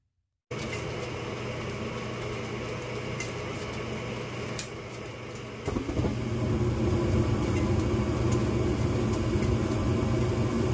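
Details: Gas furnace test run after a tune-up that cleaned the blower squirrel cage and the inducer area: burner lights and the inducer and blower spin up into a steady, even hum, with dust burning off and some blower ticking. Normal startup.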